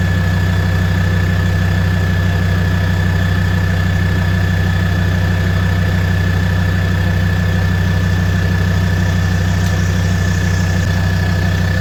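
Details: Land Rover Defender 130 TD5 diesel, first start-up after fuel system purge and bleeding, now starting straight away; steady low diesel clatter with even, regular beat, no misses or hunting: normal healthy idle.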